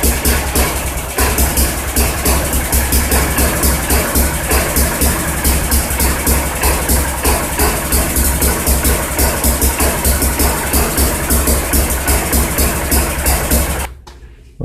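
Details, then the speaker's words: Sears 131.91280 push mower with a 1978 3.5 hp Briggs & Stratton 92908 (points ignition), stored for years: a lumpy, uneven putt that never settles, then dies; carburetor thought to be out of adjustment, black inside, likely needs a rebuild. "it's not going to run right without more attention it's going to have to be encouraged"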